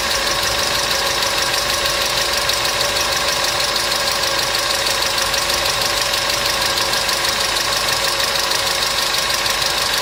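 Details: Customer's engine at idle with noisy hydraulic lifters, started after an additive was poured in; light fast metallic ticking steadily over idle, quicker than the firing beat, hydraulic lifter tick.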